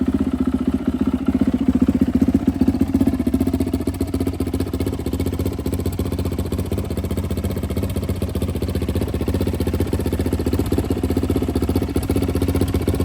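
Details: Turbo YZ450F now a YZ-500F, on E85, after new OEM cams fixed an earlier issue: a fast, even single-cylinder thump at idle with small blips and no knocks or rattles; runs healthy.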